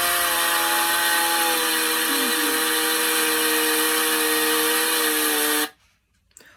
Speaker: the correct answer is three a chainsaw we use chainsaws like this on the roofs